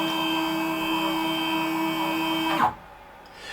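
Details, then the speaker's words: WorkBee CNC machine with new TB6600 Mach3 parallel-port controller, axes returning to work home: clean steady stepper whine, then a quick falling pitch and silence at the stop; normal. "so if i move the jog down now we're set to 100 on the x axis select the y-axis"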